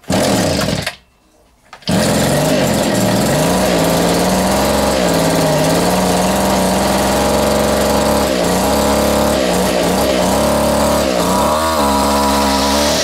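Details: Vintage Echo two-stroke strimmer on its first run after reassembly: buzz wanders up and down in pitch, surging and dipping. Owner thinks the carb needs adjustment; rough running from low compression.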